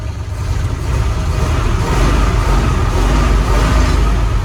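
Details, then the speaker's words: 1977 Ford F-250 Highboy V8 after tuning: deep rev that climbs and holds evenly with no stumble or misfire, pulling cleanly; smooth revving. "you can hear it's not stuttering and it sounds good."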